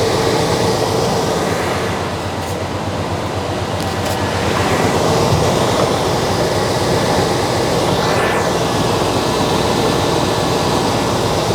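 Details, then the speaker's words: 1989 Chevy K1500 after a new severe-duty fan clutch was installed, engine warm at idle. Steady rushing roar pulling plenty of air: normal fan roar. "all right so just uh sitting here the again the engine is warm uh it's going to take I don't know a couple minutes maybe for that spring as it's drawing air through the radiator which is hot it's heating the spring up and it's going to allow the fan to uh lock up more"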